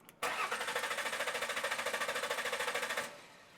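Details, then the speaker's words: Mercury Sable crank-no-start with compression present; starter cranks steadily at about three turns a second for nearly three seconds and never catches. 12 volts reaches the fuel pump while cranking, so the fuel pump needs replacing. "well we've got 12 volts coming back here we need to replace the fuel pump"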